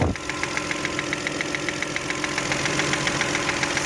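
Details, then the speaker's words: Toyota 1MZ-FE V6 at idle, knock appeared at first start after spark plugs, injector seals and throttle body cleaning; light regular tapping about 3.5 per second, heard from the top, seemingly left and rear; camera found no cylinder damage, cause unknown. "Зараза такая. Ну, вот так когда тихо, кажется, слева где-то."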